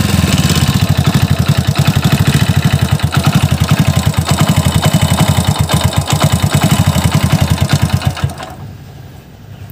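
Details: Hero Splendor single-cylinder before engine rebuild, warm idle (rougher on morning cold start); loose uneven tapping knock under exhaust beat from timing chain and head area. Piston slap and timing chain noise.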